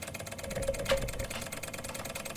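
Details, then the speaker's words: Single-cylinder Stirling engine generator kit, flame underneath on a metal plate, just started and lighting its LED: fast, even light ticking as it spins freely, running smoothly and fast. "okay oh i feel it's moving more than just me look it's running"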